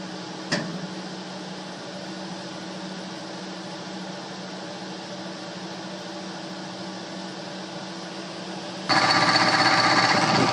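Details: Two-speed blower motor: a quiet hum that becomes a loud, rough, rattling roar on high speed from a worn bearing, which was replaced. The replacement motor needs a start capacitor.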